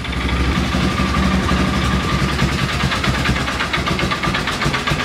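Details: Polaris Ranger 6x6 single-cylinder: lumpy, uneven idle with steady low chug; mixture sounds off and carb needs tweaking, and separately a chipmunk-chewed belt wrapped on the clutch needs replacing.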